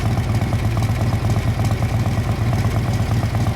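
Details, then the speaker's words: 1957 Harley-Davidson FLH Panhead tank shift with sidecar, 1076 original miles, at idle: a loping, uneven V-twin beat, steady with no knocks or grinding; sounds healthy. "So, I'll get in here and let you hear this beautiful motor. Yes, it is. Just gorgeous."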